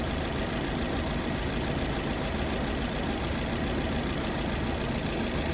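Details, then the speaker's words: Nissan Altima brought in for misfire, scan shows multiple-cylinder misfire codes; engine started to show unstable idle, uneven stumbling with irregular low thumps; coils then disconnected one by one to find the dead cylinder. "Lo vamos a encender para que noten el motor que está inestable."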